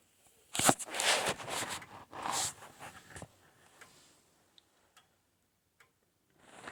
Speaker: so if it's tick tock tick tock tick tock then that's out of beat and it sounds like mine might be a little bit out of beat ticktock tick tock tick talk so